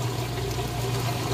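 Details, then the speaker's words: Whirlpool Ultra Care II top-load washer draining after the wash cycle, before spin: steady low pump hum with water rushing out evenly, no rattles or grinding; drain pump working normally. "Doing a real good job pushing that water out."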